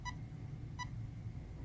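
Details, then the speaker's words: Castle Creations ESC in programming mode: two short, clear beeps about 0.7 s apart, meaning menu two with option one selected. "those two short beeps is indicating that it is in menu two and option one is currently selected"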